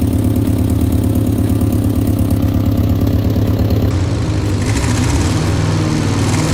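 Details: 1964 Peugeot 404, seized engine fully dismantled and rebuilt (pistons freed, block repainted), refitted and started for the first time: steady, even low idle with regular firing pulse, no tapping or knocking; normal idle.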